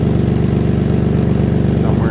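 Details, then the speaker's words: 2003 Toyota Highlander 3.0L at idle, heard from underneath. Fast rhythmic puffing follows each firing pulse as exhaust escapes inside the catalytic converter heat shield and further back; the converter is rusted through. Exhaust leak. "got a number of exhaust leaks it's leaking from inside this cataly invert Shield so the converter must be rusted through it's also leaking back here"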